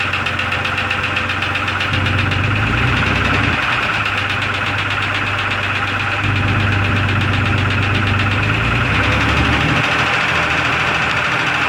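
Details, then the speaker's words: 2002 Jeep Grand Cherokee Laredo at idle after the owner topped up the engine oil: a loud idle with a quick, fairly regular tick, about four per second, unchanged by the oil. The knocking/ticking source is still unknown. "now i got to figure out the knocking of ticking sound in the engine that's what i'm trying to do now"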